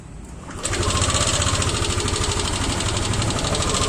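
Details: Yamaha Lexi scooter engine starting and idling with a fast dry rattling chatter over low thrum; suspected worn roller rocker arm, not confirmed.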